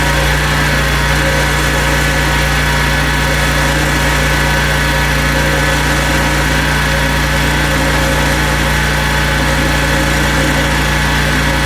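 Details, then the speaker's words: Husqvarna two-stroke chainsaw after the recoil was cleaned and lubricated: loud, steady drone holding one speed with no grinding or rattling; runs smoothly, carb clean still planned. "That does sound much better. I think we're going to have to bowl off the carb and give that a clean out."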